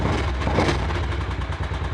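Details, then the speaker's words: Motorcycle idling after first-time valve adjustment, clearance possibly still a fraction high, following a kick start that may have flooded: steady low thumping idle with an even beat and no sharp ticking; valvetrain sounds much better. "that's sort of working there that sounds a lot better though it sounds a lot better"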